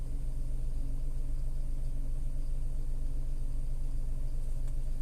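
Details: Tata Altroz naturally aspirated petrol, about 14 months old, recorded inside the cabin: steady, even low rumble at idle with no knocks, ticks or uneven beats; smooth healthy idle.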